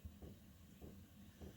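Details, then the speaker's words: Diesel heater, newly fitted LCD controller, cold start: soft, regular ticks about every 0.6 seconds as the fuel pump under the floor pulses to add fuel after the glow plug heats; normal. "oh the pump just came on you can see a little knot and I can hear it pulsating"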